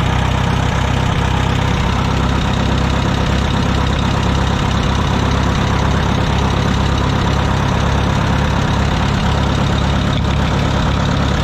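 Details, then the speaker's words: Wisconsin VH4D four-cylinder engine on a Bandit model 65 wood chipper, after engine repairs and while the voltage regulator and charging (17.4 V) are checked: loud, steady, even run with no knocks or misses. Normal running. "but motor runs great got some cleanup to do motor runs great"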